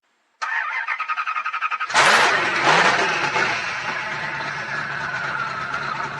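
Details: Dodge truck engine, start after all vacuum lines were replaced and a weak battery charged: about six quick starter cranks, then it fires with a loud roar and settles into a steady idle; normal start and idle.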